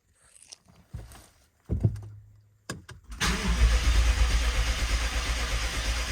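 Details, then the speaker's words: BMW 750Li after transmission repair and engine reinstallation, first start with plugs, coils and fuel pump fuse back in: starter cranks steadily for several seconds with no firing; fuel system still empty, needs priming for pressure. "this is still going to take a couple of tries because right now there's no fuel in the system so we'll need to crank it to get that fuel pressure up"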